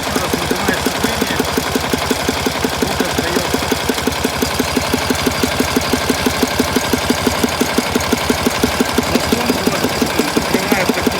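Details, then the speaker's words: 1967 K750 motorcycle engine at idle, owner unsure if due to 92 petrol; dull thumps about three per second back through the air filters, persisting with clutch pulled and choke closed; valve clearances checked, camshaft bushings worn; owner suspects crankshaft or camshaft, unconfirmed. "но есть какие-то глухие такие бабахи в воздушные фильтры но ощущение что как будто бы знаете вот по пленке по какой-то баха яйца воздухом"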